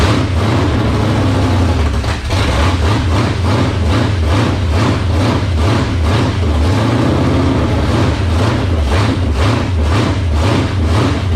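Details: 1978 Dodge D-series Warlock truck, 360 small-block stroker V8, first start in truck, cold, no choke, previously dyno-run: deep loping lumpy idle sitting too low; idle to be turned up.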